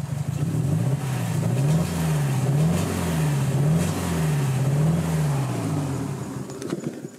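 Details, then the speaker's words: 2007 Subaru Impreza WRX STI (JDM GRB), EJ20 engine, over 10 years old and over 100,000 km: lumpy idle hunting about once a second, consistently running on three cylinders, stalls at times; oil low and pasty; owner hopes it's a coil or spark plug; misfire. "now you might notice the engine is not running properly at the moment it seems to be running on just three cylinders consistently I can't get it to run on four cylinders at the moment"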